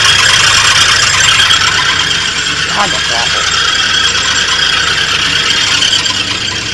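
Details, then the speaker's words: 1983 Oldsmobile Delta 88 Royale starting right up at idle: steady high, shrill squeal over a rough idle from a pulley/belt; owner suspects the alternator, unconfirmed. "okay here we go well it starts up immediately now and at least idle sounds like it might be the alternator"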